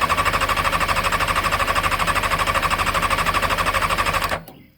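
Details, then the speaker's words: 2001 Honda F4i motorcycle, fuel pump heard priming, plugs replaced, old gas drained and kill switch checked: steady, even cranking at about three strokes a second with no firing at all; cranks but won't start. "And it cranks and cranks but never fires."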